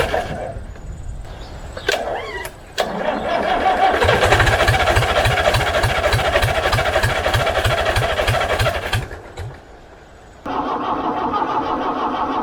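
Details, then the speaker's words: International B414 four-cylinder diesel tractor that sat by a pond for 20 years, first start with glow plugs and ether: it catches into a fast, even diesel chatter of roughly 200 beats a minute, then settles, running and smoking. "he's smoking away but I think she's gonna go"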